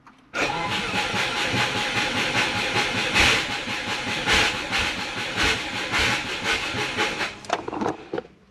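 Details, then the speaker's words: Subaru Forester GT after battery went flat and TPS replaced, quarter tank of fuel, crank and cam signals present: starter churns steadily about seven seconds but never catches; crank, no start, cause unconfirmed. "doesn't want to start. Got about a quarter of a tank of fuel. I do have fuel."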